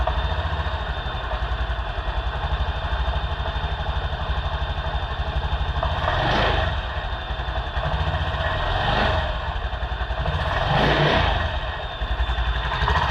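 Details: Honda scooter (Beat/Genio/Vario type) that died suddenly from a rat-chewed wire. After repair with a new Brisk spark plug and added wire, it idles with a quick, light, even beat and no misses or knocks: running normally.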